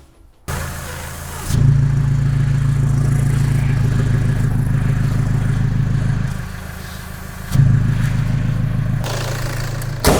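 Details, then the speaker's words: Toyota N70 Hilux diesel with a newly fitted Torqit exhaust, leak check with a rag over the tailpipe: steady low rumble at idle with a couple of blips and an even tailpipe note, no hiss or puffing, so no exhaust leak. "Oh man, it's sounding so good, and there's not a leak in the exhaust, which means I must have done something right."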